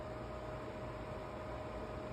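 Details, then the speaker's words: PS5 Slim console, four months old, on its stand: steady loud cooling fan rush with a fixed whine around 600 Hz, unchanging through the clip. "Olha essa desgraça com 4 meses de uso. Ó o barulho que essa [ __ ] tá fazendo."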